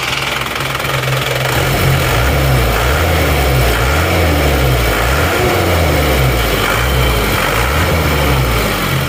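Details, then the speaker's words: Isuzu Panther diesel after injection pump timing moved back from over-advanced to standard: steady even low rumble without the harsh rattle, smoother than before, power noticeably improved on the road. "Suaranya seperti ini, sudah menjadi lebih halus daripada tadi."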